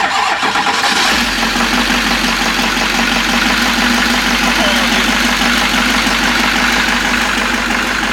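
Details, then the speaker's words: 6.6 L Duramax diesel just swapped into a Jeep Wrangler, first start; cranks, catches and settles into a ragged, uneven idle; running rough, an injector not sealed right blew out, mass airflow sensor possibly wanted. "Sounds like crap, but it's running."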